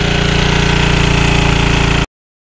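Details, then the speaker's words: Early-1980s Generac S1500 portable generator on a cold, windy day, kept going with sprays of starting fluid after a hard cold start; quick, even putter at steady speed with no hunting or misses before cutting off, running normally. "kept spraying it with the starting flu and we got it going now she's running"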